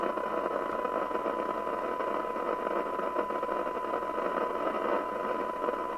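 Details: Spinneytonic CB199 UK CB27/81 mobile CB radio (fake Amstrad chassis) on the bench with signal generator, S9 signal: steady rough hiss and buzz, no clean voice; poor receive audio, suspected IF out of alignment.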